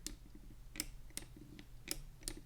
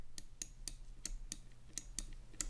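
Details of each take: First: Cooler Master MM710 53G lightweight gaming mouse: crisp clicks with a dull creak in between when the right button is pressed down, even without pressing hard, from the shell flexing. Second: Cooler Master MM710 53G gaming mouse left button: crisp, clean clicks about three a second with no creak; normal (creaking occurs only on the right button).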